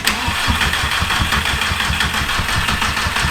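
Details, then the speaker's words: VW Mk2 with swapped 1.8T engine from Mk4 GTI, first crank after four-year project on jump pack: starter turns engine at even, steady chug and it never fires because the injector is deliberately unplugged; fuel pump audible. "I guess it's time to see if she'll crank me I'm plugging the injector so it won't start"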